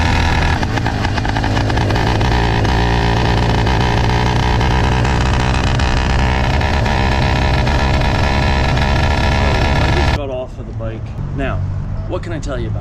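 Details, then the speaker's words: Motorized bicycle two-stroke after fitting a BikeBerry HP carburetor, F2 Thruster exhaust and new throttle cable. Loud, uneven drone while riding, popping and stumbling under load; better than before but still rough. Poor engine quality control suspected. "So you can hear how it is running. It is still running like crap. It is definitely running like better crap."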